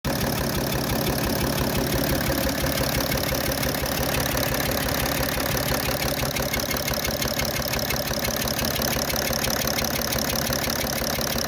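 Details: BMW 730d M57 diesel idling erratically: rough, gritty grinding over a steady clatter of about three pulses a second. It is a new noise; the car is slow to start cold, smokes more, and has had new glow plugs, EGR valve, throttle body and fuel pressure regulator.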